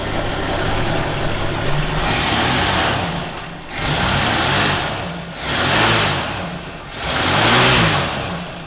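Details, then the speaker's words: 1966 Ford Mustang inline six with a small-to-medium oil leak and a battery believed to be recently new; it started right away. It settles into an even idle, then three clean blips rise and fall smoothly without stumble or knock; it is running strong and healthy. "You can see it's running pretty strong. And it started up right away, so you should get it in relatively the same condition."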